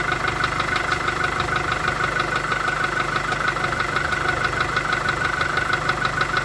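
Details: VW Golf 4 1.4 16V at idle: sharp, even tapping about three per second over idle; distinct engine knock, cause not pinned down.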